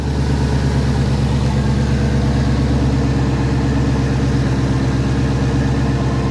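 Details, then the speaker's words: Ford Mustang GT idling after replacing serpentine belts, tensioner and pulley: smooth, even idle with a steady low rumble, no chirp, squeal or rattle from the belt drive; belts barely seem to move. Normal idle. "listen to that sucker perk."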